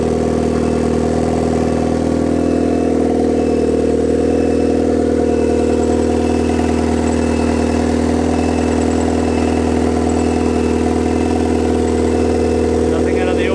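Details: Turbo Miata four-cylinder, first start after the turbo build: a loud steady drone with a wandering, unsettled beat and slight hunting. Idle isn't holding steady; base idle still needs adjusting.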